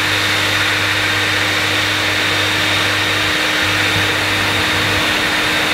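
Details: Electrolux Masterlux 3-in-1 vacuum with a new motor fitted, switch possibly faulty: steady high motor roar, with a low hum that drops out and returns near the end; pump running intermittently, cause unconfirmed.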